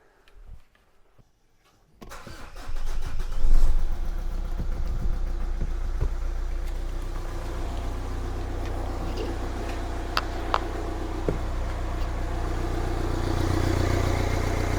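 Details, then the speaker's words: 2015 Renault Grand Scenic after alternator replacement (battery had been 11.4 V while running): short crank catches cleanly into a steady, even idle with no knocks or squeals. It now charges at about 14 V. "well hey we're in business folks that is a charging battery so there we go we're up at 14 volts that's brilliant"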